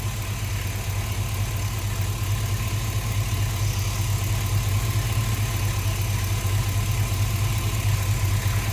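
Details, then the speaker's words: 2005 Chevrolet Tahoe 5.3L 4x4 with a new fuel pump that stalls (P0174 bank 2 lean), restarted after stalling with fuel volume tester fitted, pressure about 49: V8 idling with uneven lope and occasional stumble; mild misfire at idle, cause unconfirmed. "trucks running right now started back up got the fuel volume tester on there here we got a little bit of a misfire going on"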